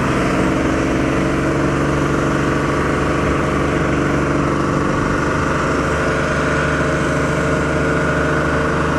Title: Run away engine Diesel